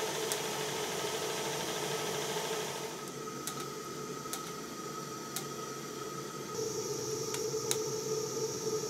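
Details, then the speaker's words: Stuart 7/8 model steam plant in steam on a very cold day in 2021: a steady hiss with a soft, even beat that never stumbles. It is running smoothly. "here is the Stuart 7 8 Steam Plant in Steam on a very cold day in 2021."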